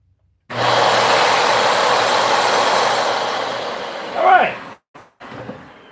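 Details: Dyson UP19 upright vacuum being tested with a known-good head: steady airy whirr with even pitch, no rattles or surging, then shuts down; the vacuum motor runs healthy.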